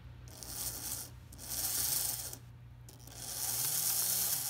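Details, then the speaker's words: Märklin SK 800 toy car (about 1945) with glued wheels still curing, some wheels adjusted by hand, and the linkage connected. A light high whir swells and fades smoothly twice as it speeds up and slows. Normal running. "so this is pretty rare that it's it's running so well"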